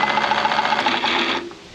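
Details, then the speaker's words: 1955 Renault 4CV off the road since 1970 (54 years), engine had been locked up; on a 12V battery, starter believed 12V, turns at normal speed with a quick, even whirr and regular ticks for about 1.5 seconds. "I think it's a 12vt starter see how it's just normal speed"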